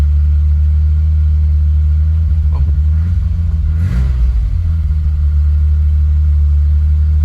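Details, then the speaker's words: BMW E30 323i, sat unstarted over a year, no radiator fitted, exhaust partly covered: steady, deep, even idle hum with a brief blip, no knocks or misses; normal idle, runs sweetly. "Well, that hasn't been started for a good year. Year plus. So, and that sounds sweet."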